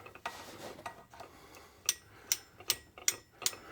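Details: UATV-tech clutch mod install, reinstalled primary one-way bearing turned backward by hand on the engine-off ATV; light crisp clicks, roughly two to three a second, evenly spaced, bearing freewheeling normally.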